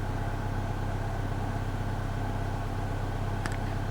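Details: Range Rover 3.6 TDv8 diesel, fuel reaching engine valve, white smoke and diesel smell from exhaust, stalled 10 seconds after restart as if out of fuel: steady starter churn about two beats a second, no firing; cranks but won't start.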